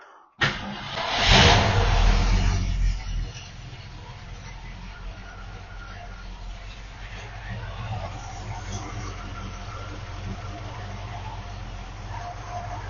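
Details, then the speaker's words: 1971 Mercury Comet GT starts without fast idle, in park, right after replacing the oil-leaking mechanical fuel pump and reinstalling the power steering pump (A/C not hooked up). It fires quickly, flares about two seconds, then settles to a smooth, even normal idle. "I think I can uh start it up here don't need to fast idle on so here we go make sure it's in park feels like it"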